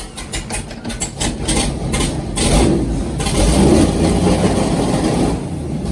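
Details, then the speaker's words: LS3 V8 airboat with one dead cylinder found by exhaust temperature, after a new coil pack: catches into an uneven, lumpy idle with stumbling beats, still missing; owner suspects a fouled plug, and an earlier backfire blew the valve cover gasket. "Well, she's idling again. Oh yeah, temp's coming right up. Come on. Not know why she ain't wanting to idle. Probably got a foul plug too, so I'm gonna do all the plugs in it."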